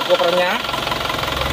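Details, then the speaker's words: Isuzu Panther diesel pickup after blow-by repair with new pistons, engine at about 60 degrees: even diesel clatter at steady idle, smoother than worn pistons would sound, no smoke from the oil filler; normal idle. "jadi suaranya bisa halus seperti ini karena ini seernya baru kalau tidak baru biasanya ya seker lama yang sudah aus suaranya itu akan kasar nah ini sudah halus suaranya seperti ini"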